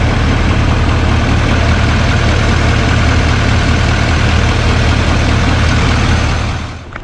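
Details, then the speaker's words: Rebuilt 2024 Chevrolet High Country Duramax diesel at first start after reassembly, fluids filled, probably not fully warm: a steady, even idle with a smooth low rumble and no knocks or misses. The engine idles healthy. "Okay, so I pretty much got all the fluids, everything's sounding pretty good."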